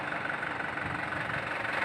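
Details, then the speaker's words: Isuzu Panther LS 2008 diesel; smooth, steady clatter at idle with no shudder, hunting or misses, and no vibration felt by hand on the body; normal healthy idle. "Ya halus-halus betul suaranya halus betul getarannya Anda bisa lihat tangan saya Hai tidak ada getaran sama sekali"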